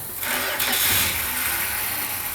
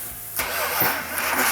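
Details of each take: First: 1971 Dodge Demon 340 V8 Six Pack, restart after resealing and tightening at the leak: catches quickly into a strong even idle, no misses or knocks; a little rough at first start, quiets once warmed up, runs great with no leaks. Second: 1971 Dodge Demon 340 V8 Six Pack 4-speed, numbers matching: first start after distributor install, brief crank then uneven lumpy catch and stumble; ignition timing too far advanced, fixed by rotating the distributor back to retard timing.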